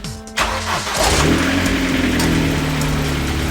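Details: Vauxhall Astra VXR (Astra H Mk5) with a sticky starter that engaged without turning the engine: quick starter whir, engine catches at once and revs to a steady, even run; clean normal start.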